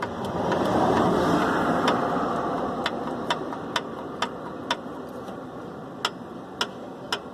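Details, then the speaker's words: VW AP engine at idle: sharp regular ticks about three per second, a hollow light knock; piston skirt slap, replacing pistons to the correct size advised. "é isso aqui cama a tal famosa saia de pistão batendo"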